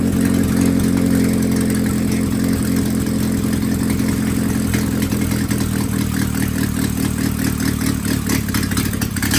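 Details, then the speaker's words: Willys F134 engine on a stand, started after sitting for years, fuel pressure regulator just fitted: steady run with a loose, uneven beat and a lazy, sooty note; running rich suspected, not confirmed. "You're getting too much fuel again, do you think?"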